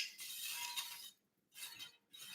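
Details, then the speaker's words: Vintage Schwinn wheel, spokes plucked in turn to test tension before fitting: quick runs of bright metallic pings, and one rings slacker with a dull "donk", a loose spoke. "oh that one's a little loose I can I can hear that let's get it a little something you can hear them sometimes when you when you run your hand on it you'll hear one like donk"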